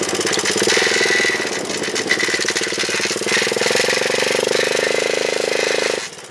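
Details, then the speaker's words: Honda chopper running with a rough scraping rub under the exhaust note, pulsing with the chain under torque; slack drive chain likely rubbing inside the housing, owner plans a tensioner. "I think it's rubbing in inside the housing there somewhere whenever it gets uh under under torque"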